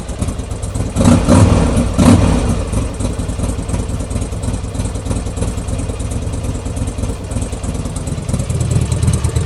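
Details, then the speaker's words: Buell XB12 V-twin after cleaning and regapping spark plugs: two crisp throttle blips, then steady loping idle without misses; runs slightly better, plug gaps possibly a little big. "And voila, done. Happy days. Seems to be running a little bit better as well."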